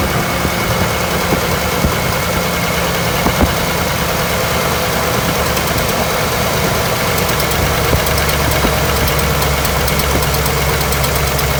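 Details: LS V8 with a cylinder 5 misfire, ignition and fuel ruled out, low compression. Running with the valve cover off, PCV port plugged and coils tied back. A steady idle with a faint irregular stumble and light ticking: dead cylinder from a holed piston.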